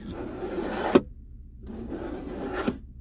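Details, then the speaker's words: 2018 Chevy Silverado test drive: two short scraping rubs, each about a second long, like webbing dragging by the seat. This is a loose seat belt sliding forward or back under braking, not the brakes; the noise stopped once the belt was stowed. "what you're hearing liam is right here by the seat that little grinding sound right it happens to be this seat belt right here it's sliding every time I hit the brakes"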